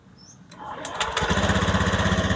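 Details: Honda automatic scooter with ACG starter, after repairing the faulty 3-phase wiring and socket to the ECM. A brief starter whirr, then the engine catches and settles into a steady, even idle; charging is stable around 15 V. Starts and runs normally.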